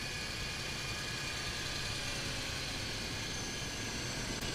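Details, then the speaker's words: Used car engine on a cold start at idle: steady, even idle with no ticking, knocking or rattles over a smooth hiss; healthy engine. "this case all good"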